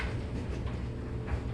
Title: GTI VR6 crank no start